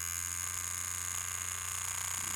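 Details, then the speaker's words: Cheap knockoff rotary tattoo machine (Poseidon V7 compared with a Dan Kubin Sidewinder V3R) turned up a little from 5 volts: a harsh, high buzz with a wavering, uneven hum underneath; it sounds horrific and runs inconsistently. "sounds horrific. So yeah, here you can really see it's a cheap machine. It's not consistent at all."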